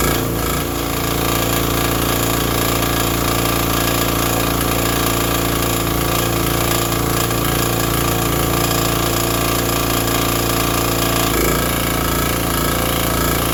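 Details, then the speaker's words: Vintage Briggs & Stratton 5 hp generator that fired right up once the switch was set fully to on: a steady, even drone with a constant hammering beat while running a shop vacuum. No misses or surges; it runs healthy. "Uh, apparently the on button was too far over. I put it right there and it fired right up."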